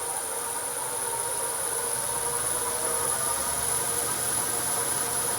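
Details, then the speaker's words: Myford Super 7 lathe after control box install, running at full speed on current belt position, nothing in chuck: smooth even whir with steady high whine, no knocks or wobble; normal running. "and that's full speed currently on its current belt position"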